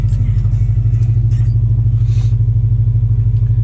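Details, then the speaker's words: 2006 Subaru Forester 2.5 with new coil packs and spark plugs, cold start after sitting overnight: starts straight away and settles to an even, steady low idle with no stumble; normal cold idle. "now it's been sat overnight left to go cold this is uh start up from cold so we shall see how it starts now [Music] hopefully you can hear that started up straight away no problems"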